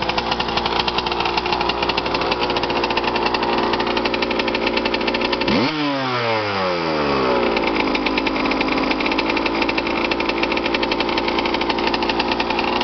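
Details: Suzuki RM125 two-stroke after full rebuild with new crank, crank bearings, rod, rod bearing, piston, cylinder wall and power valves: crisp buzz with a clean blip and fall, picking up and settling evenly; healthy freshly rebuilt motor, strong power.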